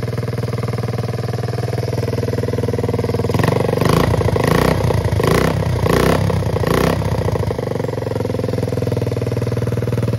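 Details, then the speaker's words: 1969 Honda Z50 (Z50A) single-cylinder mini bike, first start after about 20 years sitting and carb refit, new fuel lines and filter, oil dirty and low: steady putter, clean throttle blips, even idle; runs well. "Okay, this is awesome. This thing runs super good, it seems like."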